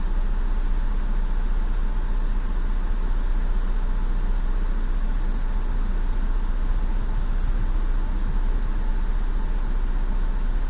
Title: 2016 Ford Explorer Rough Idle